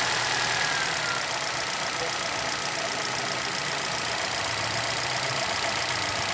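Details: 2011 Chevrolet Celta VHCE Spirit engine idling with quick, loose tapping several times a second over steady engine noise; owner asks what the knock is, cause unknown.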